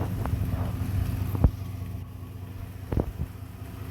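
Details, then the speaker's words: 1991 Chevy Silverado idling low and even with no hunting or stumble, a couple of stray thumps in the background, after the MAP sensor ground wire was jumpered to ground; it runs better. "Listen to that idle. All right. Think I got the problem solved."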